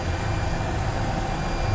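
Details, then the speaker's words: 2003 Mercedes-Benz M112 2500cc V6 after full tune-up and calibration, bonnet open: low, even idle hum with no misses, shakes or ticks; rpm rose briefly on startup then settled; runs smoothly. "Mesinnya halus banget. Ini V6 2500 cc yang sudah kita garap untuk tune up all perfect. Ya. Tadi begitu dia baru hidup, RPM-nya naik dulu."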